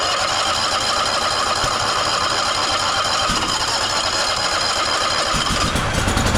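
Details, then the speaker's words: Toro Timecutter SS5000 zero-turn (model 74731) with Toro-branded Loncin engine that won't start or stay running: ragged, uneven running with irregular pops and sputters after a carb-cleaner test, indicating a dirty carburetor and bad gas (contaminated fuel, clogged jets); fuel pump apparently already replaced, filter flowing. "if it's running like that and it's running poorly you heard kind of those Pops that went on if those are happening that's a that's a solid indicator of a dirty carbo bad gas"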